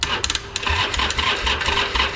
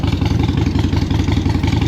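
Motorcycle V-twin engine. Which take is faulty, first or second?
first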